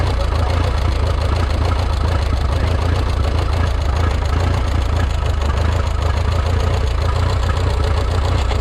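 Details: Rebuilt Minneapolis Moline 335 tractor engine, warm at about 140 degrees: loud, uneven, ragged low chugging at idle, not firing cleanly. Tappets were reset warm, and blow-by through the tappet cover suggests a possible cylinder wall issue.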